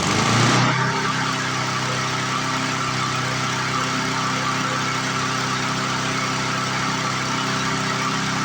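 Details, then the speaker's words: 1997 Lawn Chief 3.75 hp push mower after a second governor adjustment, no tachometer: steady single-cylinder drone, speed gaining but still not right, as the bending plastic governor arm won't hold its setting. "Definitely gaining. Problem with these plastic governor arms is they don't like to stay where you put them."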